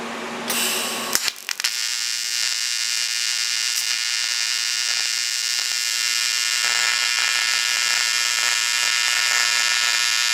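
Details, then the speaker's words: ProTIG 200 TIG welder: thin, steady hiss with faint fizzing buzz after the arc strikes, a weak quiet arc; welding current too low, then raised to 200 amps. "so i think that's just not enough current to go crank it up try again 200 amps now"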